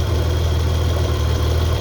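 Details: Mitsubishi 3000GT/GTO after the aging harmonic balancer was replaced, running a 6-rib belt modified down to 5: a smooth, steady low idle rumble with no chirp, slap or knock. The belt is aligned and not jumping teeth, so it sounds healthy.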